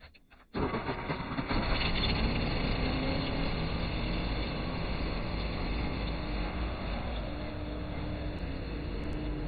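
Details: Generac backup generator started after service with oil and filter change: engine catches at once and settles into a steady, even drone with no misses or knocks; generator running properly.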